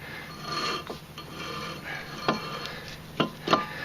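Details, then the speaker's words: Wheel hub spun by hand after axle replacement, brake pads fairly new: a soft gritty rasp with a few brief scrapes; light surface rust on the rotor, harmless. "even though that noise might concern you a little bit it's it's good and we're ready to put the wheel back on"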